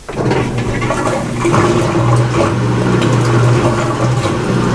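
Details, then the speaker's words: GE washer that won't lock or spin, in service test mode running the drain pump test: a steady rushing gush of water over a constant motor hum, no grinding or rattling; the drain pump empties the tub properly. "and as you can hear the pump is working so we're going to let it drain out a little bit"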